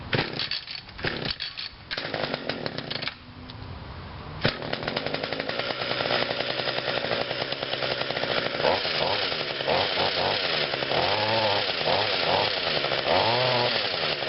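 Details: Mower with 21.2 cc Vortex Power Boost one-ring-piston engine, 20-inch blade, not run for a while, choked and primed: a few cord pulls, then catches, runs clean and revs smoothly; normal running.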